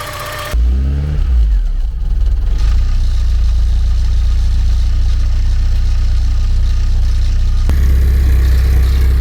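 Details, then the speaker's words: Porsche 944 four-cylinder, first run after sitting over 10 years, given throttle: rough running picks up with a loose metallic rattle from under the car growing with revs; source not identified. "Something under here is rattling like a good."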